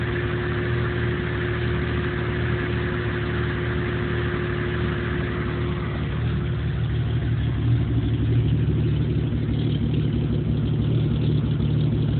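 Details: 1997 Jeep Cherokee idling with an uneven, lumpy pulse and a slight hunt. No codes are stored; it won't idle right and dies under power. Rough idle, cause not pinned down.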